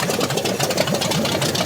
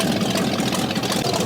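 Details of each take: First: Scrapyard 360 V8 Jeep Cherokee, just started after long sitting, still cold, exhaust working: choppy uneven idle with loping beat over exhaust rumble; sounds like it may have a cam, unsure if running on all cylinders. Lopey idle, cause unconfirmed. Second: Scrapyard Jeep Cherokee with 360 V8, started on poured fuel after sitting: short burst of steady, throaty V8 idle with no knocking or valve-train clatter, suggesting oil pressure; sounds healthy.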